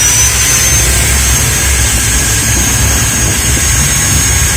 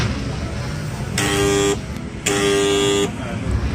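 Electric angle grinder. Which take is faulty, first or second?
second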